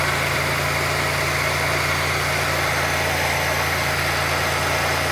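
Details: 1990 Oldsmobile Toronado Trofeo 3.8L V6 after adjusting lines, still warming up: steady, even idle with a smooth low hum and no hiss, stumble or hunting; owner considers it normal.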